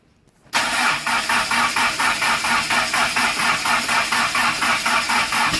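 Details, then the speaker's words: Conquest engine first start after plug wires, new coolant temp sensor and fuel pump plugged in: catches in half a second, fast steady idle running up to 3,000 rpm; throttle suspected open too far. "Did it start to run away? Yeah. Probably, maybe this thing is open too far. It went up to 3,000."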